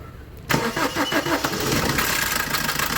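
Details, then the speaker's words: 2015 Maruti Suzuki Ciaz diesel, over 100,000 km on its original timing chain, run with no oil after a leak: fires up into a busy metallic rattle over the clatter from a timing chain that seems stretched and needs replacement. "കണ്ടോ വണ്ടി എന്ന് പറഞ്ഞാൽ chain noise ഒരുപാടുണ്ട്. സംഭവം നമ്മൾ oil stick ഊരി നോക്കിയപ്പോൾ oil ഇല്ല. ഓയിൽ ലീക്ക് ആയി പോയാണ്. ഓയിൽ ഇല്ലാതെ ഓടിയാണ് സംഭവം ഈ ഒരു ടൈമിംഗ് ചെയിൻ നോയ്സ് വന്നത്."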